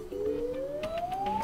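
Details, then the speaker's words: Samsung Galaxy Z Flip hardware test mode, receiver (earpiece) test: a clean tone sweeping steadily upward with faint clicks behind it; the earpiece is heard clearly and works properly. "all can hear clearly is working properly"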